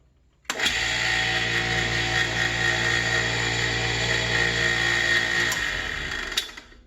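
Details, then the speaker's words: Nearly 50-year-old bench grinder after oiling a noisy bearing, wire wheels removed: spins up to steady even hum with light whine, no knock, winds down cleanly; runs much better than before, bearings sound healthy. "a whole lot better than it was"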